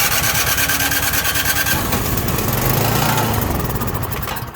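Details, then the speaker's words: Craftsman snow blower with Powermore engine and Huayi carburetor, choked, with carburetor cleaner sprayed into the carb: catches and fires in a quick, uneven patter for a few seconds, then dies; spark and oil good, carburetor not delivering fuel. "So it did start there. We already knew it had spark. We knew it had good oil and everything. We just basically bypassed the carburetor there to make it run."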